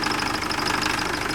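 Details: Nissan Frontier (manual transmission) with hard first morning starts, lack of power and engine noise: a fast, light rattle over the idle. Cam and crank sensors are out of sync; the timing chain kit is to be replaced.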